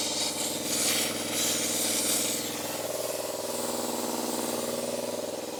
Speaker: there we go hopefully that um hopefully that extension cord is going to work all right power time [Music] sounds like the valve underneath is open